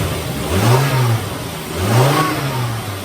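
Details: 2001 Volvo five-cylinder, towed in for a misfire, after repair: two smooth throttle blips rise and fall cleanly from idle with no stumble or popping; all five cylinders are firing evenly.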